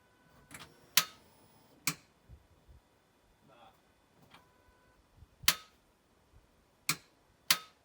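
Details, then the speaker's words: Ford Fiesta ST150 just after a replacement gearbox was fitted: only sharp isolated clicks a few seconds apart, no cranking. Starter clicks but won't turn the engine and the car won't start; owner suspects the battery lacks charge, not confirmed. "You can hear like the starter motor clicking. I don't know whether it's just not got enough power or what it is."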